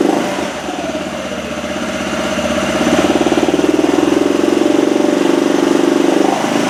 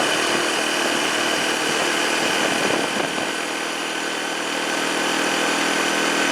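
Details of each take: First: 2007 Arctic Cat 400 ATV, unused 1.5 years, carburetor cleaned, fresh fuel, rope-started: single runs with a rapid, slightly uneven beat about four per second, then falters; owner reports it dies once warm. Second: 2007 Arctic Cat ATV 400 engine idling evenly at a quick beat with steady buzzy exhaust, no misses or stumbles, after sitting a year and a half; fixed with carburetor cleaning and a new spark plug, now running properly.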